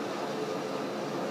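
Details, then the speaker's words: 1953 Monarch 60-inch T-lathe, model T-48, rebuilt 2009, headstock running at high spindle speed: smooth even hum with no whine, clatter or gear noise; very quiet, healthy headstock. "essentially you can hear it's very very quiet no gear noise"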